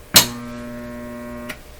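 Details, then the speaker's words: Telefunken Salzburg 5094W console radio at first power-up through a dim bulb tester, AM selected: click then instant steady low buzzy hum from the speaker until power is cut; it has a solid-state rectifier, not a tube rectifier. "b we got an immediate hum out of this radio now this does not have a vacuum tube rectifier in it it has a solid state rectifier in it"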